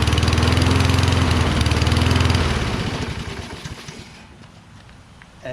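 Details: Toro Recycler mower, Kohler XT675, after magneto swap, starting fluid sprayed in: fires and runs steadily a couple of seconds then dies; not spark, carburetor fuel supply suspected, black debris later found in bowl.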